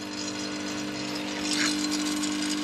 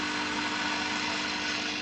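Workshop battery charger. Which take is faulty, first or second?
first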